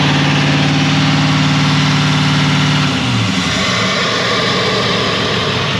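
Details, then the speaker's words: 2020 Chevrolet Silverado 3500 L5P 6.6 L Duramax turbo diesel with Banks intake and turbo pipes, revved to about 3,000 rpm then dropped: steady raised drone falls off while a faint high turbine whistle lingers; healthy turbo spooling down. "I hear turbine sounds I love them"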